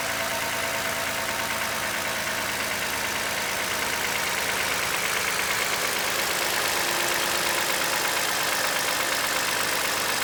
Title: 2015 Highlander engine knock??